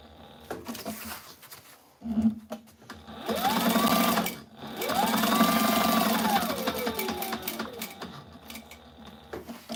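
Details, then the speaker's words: Sewing machine running at full speed while sewing a nylon fanny pack: fast, even needle clatter rising to a smooth steady whir at top speed and easing off cleanly; normal running. "Right now, this is about as fast as this machine will sew. So, That's full speed right there."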